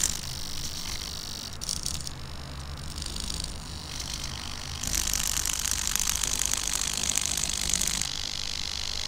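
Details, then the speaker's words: Small blue servo on a 3D-printed Arduino mini robotic arm buzzes in hissy bursts over a low hum, jittering instead of holding; swapping to a black metal servo with the same code removed the noise and made it stable. "com a mesma a mesma programação eu tava com servo azul e mudei para o servo preto de metal ele esse ruído sumiu e ele ficou muito mais estável"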